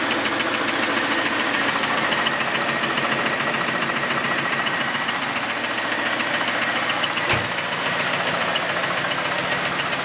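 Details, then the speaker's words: Camaro V8 just restarted after a quick weld of the exhaust Y-pipe: a rattling knock of about three to four per second with a ticky edge over a rough idle, more pronounced when revved; the owner suspects loose connecting rods or journals. "it sounds the best way I can describe it is it's like a rattle it's a knock so that's what we really heard pronounced when I rev the engine that sort of like rattling sound"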